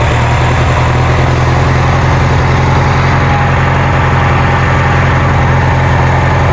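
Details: Kohler Magnum 20 engine on a Wizard garden tractor after repairs, just started after priming and choke: deep, even thump at steady idle with no misses, knocks or hunting; engine runs smoothly.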